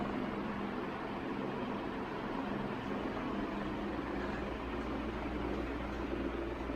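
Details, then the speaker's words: 1981 Evergo 36-inch industrial ceiling fan, model 3E-6, cast-iron motor with aluminum blades, switched up to full high speed: steady airy rush over faint low hum, no ticking, scraping or wobble; bearings a bit stiff but not noisy; normal running. "all right last but not least here's full power this thing flies on high speed just bump the tripod again"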